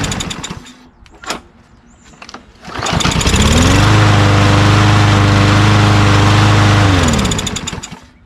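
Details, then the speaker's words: Craftsman M110 mower with a Briggs 550EX auto-choke engine, carburetor reinstalled and air filter off for testing: after handling clunks it catches on the first pull and holds a steady, even beat. It runs normally, and seemingly no carburetor fault was found. "Just like it's always like this model usually starts really easily, starts right up."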